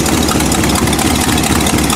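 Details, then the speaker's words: Buick petrol engine idling after new spark plug wires: steady, even low pulse with no misses or knocks, though the problem later returned. "There she is. Running perfect again."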